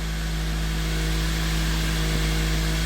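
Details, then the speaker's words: 2004 Toyota Matrix XR, 111,000 miles, cold engine, code P0505: steady raised idle around 1500-1550 rpm that doesn't settle; idle air control valve stuck with rust inside, needs a new valve. "Oh yeah, I think that valve is stuck. The electronics, there is a rust inside, it's not moving, and I think she needs new valve."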